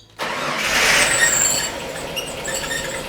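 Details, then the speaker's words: Ford XG Falcon ute starting after topping up power steering fluid: brief crank then steady, even running with no rattle or whine; earlier rattle (possibly a failed engine mount suspected) and engine whine now gone; normal startup. "i can't hear it no more yeah way better so much better sounds sounds fine it's not rattling anymore as you can hear"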